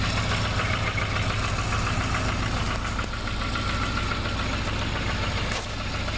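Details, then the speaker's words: 1988 Volvo 760 station wagon after replacing the main fuel pump (the new pump had made a weird sound earlier): a steady, even, quiet low idle with no misses or knocks. Normal idle. "nice quiet engine."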